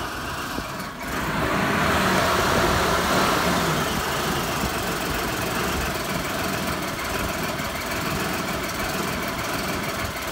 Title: 5VZ-FE Running rough after head gasket replacement